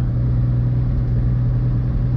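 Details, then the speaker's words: 1952 GMC mega-truck build, engine idling after Seafoam was added and fresh fuel replaced old stale fuel from long storage: a deep, low, uneven idle that is still sputtering. The owner suspects the old fuel; the cause is not confirmed. "Still sputtering. Yeah, it had a whole bunch of old fuel in here. Been sitting for a while,"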